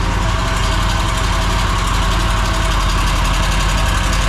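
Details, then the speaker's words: Mower twin-cylinder engine that began making a racket and lost power while mowing, at idle: steady idle with a light, quick sewing-machine-like tapping from one cylinder's valve train, found by stethoscope; valve ticking from excessive valve lash. "that's not a good noise sounds sounds like a sewing machine definitely sounds like a Val ISU already"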